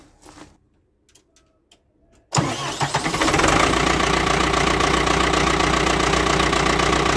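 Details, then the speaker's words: Ford 6610 Force II diesel tractor, historically a hard starter, after a new Mahle geared high-torque starter was fitted following a solenoid failure. With no excess-fuel button and no manifold heater used, it cranks briefly, fires at once and settles into a steady idle. Normal start. "So that was it, firing up. No cold start aids, so I didn't use the excess fuel button, and didn't use the manifold heater."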